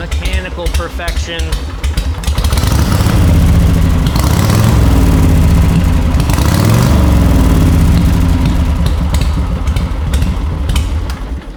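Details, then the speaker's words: Old styled-and-tuned motorcycle, about 12,000–14,000 miles since its build, with spark advance rolled back and idle lowered, exhaust pipes covered so only the engine is heard: slow, loose, even thumping idle, no gear whine or pushrod clatter; mechanically healthy. "you roll that spark advance back bring the idle down and then you cover those pipes up and you can hear the motor no gear noise no push rod noise you can hardly even hear it going round and round and up and down guys i think runs excellent mechanical"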